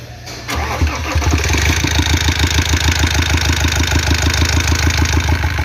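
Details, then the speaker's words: 2014 Iveco Daily 35S14 diesel, 347,000 km, cold start: settles into idle with a steady tick-tap about three per second; normal lifter-loading noise fades but a second noise from the lower front persists, suspected tired timing chain tensioner or worn chain kit. "o primeiro barulho sumiu que é o de carregamento de tucho mas ele continua com esse segundo barulho na parte de baixo"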